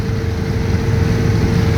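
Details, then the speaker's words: 1968 Ford Custom/Galaxie 500 with 105,000 miles, cruising at 60 mph, heard inside the cabin. Steady rushing hiss over the road drone. Wind noise from the window seals. "And as you can hear it, uh, it's got some wind noise around the window seals, but, you know,"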